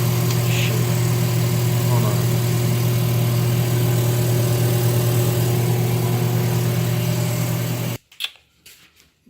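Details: GE washer on manual spin cycle fills, agitates, rinses and drains but won't spin: steady low motor hum with no drum pickup; motor turns but drive belt doesn't, burning-rubber smell, belt slipping suspected.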